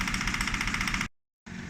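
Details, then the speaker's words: 2007 Fiat Panda 1.1 (169) just after first start following engine replacement: smooth even idle with no knocking or misses; the replacement engine runs sweet. "So that's it now. It started, it runs sweet."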